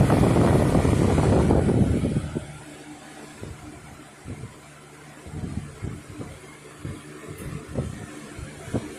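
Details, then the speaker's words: Lasko Weather Shield 20-inch box fan, heavily used for about a year, after cleaning and oiling service, switched to high speed: steady rushing air, then a quieter low hum with light ticking as it settles; sound electrically and mechanically, normal running. "Seems like this is very good electrically as well as mechanically, so to speak."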